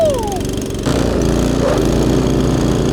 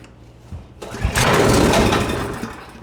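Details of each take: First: Husqvarna ST224 two-stage snow thrower, after cleaning to fix a no-start, started on choke at quarter throttle: steady, even engine drone holding speed under load for over ten seconds, no misses or knocks; sounds healthy. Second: Husqvarna ST224 two-stage snowblower with a no-start, fuel on, choke on: brief cough and roar as it fires on starting fluid, then dies; ignition confirmed, fault is fuel delivery, carb bowl to be drained and cleaned.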